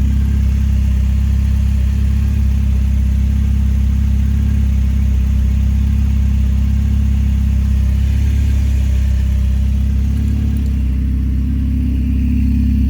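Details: PT Cruiser with open header/downpipe (downpipe missing one bolt), warming-up idle, alternator charging but belt loose; steady, deep, loud droning idle, even and smooth, no belt squeal; open downpipe exhaust idle.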